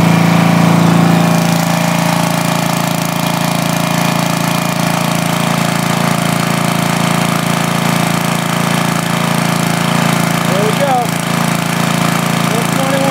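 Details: 5000 W Coleman generator with a 10 HP Briggs engine, rebuilt after smoking and run on a temporary gas tank: steady single-cylinder drone holding even speed with a fixed hum, no misses or knocks; running healthy under load.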